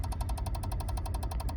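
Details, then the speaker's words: Peugeot 107 / Citroën C1, faulty electric power steering unit: rapid, even ticking at about eleven a second over a low engine idle, with no power assist and the red power steering light on. "I get this weird like ticking noise basically. So have a listen to this."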